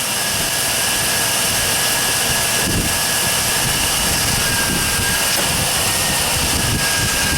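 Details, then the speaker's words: 1999 GMC 1500 4x4 SLE first start after power steering and alternator replacement, fan and shroud refitted: constant even engine drone with faint steady belt tone, no knocks or squeals; sounds good, alternator voltage now correct. Normal running. "Well, let's see what it does. Move you guys, you're too close to the tire there. Boy, she sounds good now."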